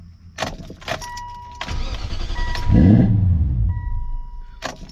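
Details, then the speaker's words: 2002 BMW E39 540i 4.4 V8 after road debris strike that shut it down and mangled the rear O2 sensor wiring, throttle potentiometer codes: over a warning chime the starter cranks, it fires with a brief surge, then dies within about a second. "now when I try to start my car here's what happens [Applause] so I try to start it up it just fires up and dice"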